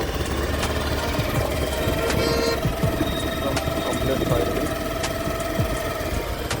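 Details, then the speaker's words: Honda Activa BS6 scooter after engine noise repair, clutch cover refitted and check-engine light cleared, idling steady and even with quick regular firing beat, no knocks or rattles; sounds like factory-fresh running. "Company जैसा firing आया है।"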